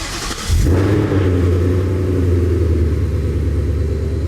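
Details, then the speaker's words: 2020 Ford Mustang GT V8 with ported intake manifold, longtube headers and cold air intake, started right after a new tune meant to cure a bog at WOT: quick crank, then a deep, steady, even rumble with no misses; healthy start, idle called amazing. "Alright, idle is amazing. That's a good sign."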